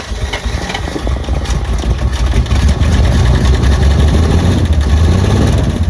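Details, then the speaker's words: 1948 Pontiac Silver Streak straight six, sitting since early 90s, first run: low, uneven rumble with faint irregular tapping about three per second; runs rough, knocking slightly, needs throttle held constantly and won't restart; oil pressure check planned. "I mean you guys heard the footage it was knocking a little bit"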